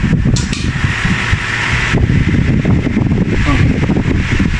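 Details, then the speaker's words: Old-style KDK wall fan after capacitor replacement, running on speed 1: even, steady whir with soft low hum and no rattle, scrape or ticking; smooth and quiet, the noise is gone. "Okay, ayos na tong si KDK. Wala lang sabitan dahil wall fan. Number 1. Wala nang ingay. Oh, suabe na."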